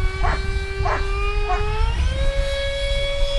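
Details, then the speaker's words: Rebuilt RC Skyartec F-16 electric ducted fan after crash repair: steady high whine with overtones dipping and climbing with throttle, slight wavering at low rpm; owner suspects fan imbalance from glue laid on the fan. "at low rpms sounds like I have a little miss balance i actually had the flu laid back on to my fan for the fans a little ala balance and that lower rpms you can hear it"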